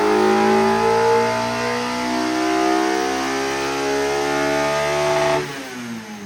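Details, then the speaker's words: K-swapped Mazda Miata with Honda K engine, wide-open-throttle pull during tuning after fixing VTC cam-angle valve problem that had cost about 35 whp; note climbs steadily, VTEC changes over smoothly with no sudden jump, then drops off as throttle closes; normal. "Yeah, you could hear when it came in, it wasn't as abrupt or as loud."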